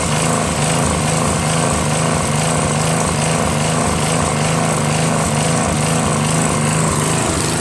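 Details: Northern Hydraulics pressure washer, Briggs 3.5 hp engine with primerless vacuum fuel reservoir, unused 8 years; after starter fluid start and fixing hose, wand and clogged rusted tip, single-cylinder engine buzzes steadily with pump working, no stumbling; runs normally.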